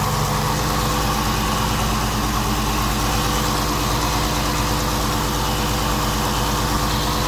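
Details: 2016 Chrysler 300 SRT Core, 6.4 Hemi V8 built December 2015, 59,000 km: raspy grinding on top of the usual Hemi tick at idle, louder with the bonnet open; just started; owner suspects water pump or MDS lifters, unconfirmed.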